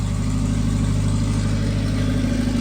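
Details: Honda Civic turbo drag build, following a blown diaphragm leaking fuel: steady, even low idle holding on its own without throttle, no hunting or misses; smooth normal idle.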